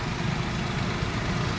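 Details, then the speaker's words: Maruti Alto 800 three-cylinder idling with irregular light tapping from the top end over a low hum. There is loud engine noise and poor pickup. The tappet cover was opened. Valvetrain noise. "बाकी engine की आवाज बहुत बेकार हो रही है तो वो करेंगे हम तो खोलते हैं"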